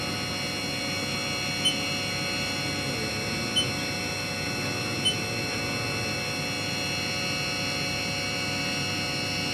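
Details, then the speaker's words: Haas VF3 CNC vertical machining center, warmed up after spindle drive repair, door shut, spindle at 6000 rpm; quiet steady high hum at one pitch, no grinding or wavering, sounds real good; normal spindle hum. "so there's our spindle you can hear it humming along at 6000 rpm sounds real good"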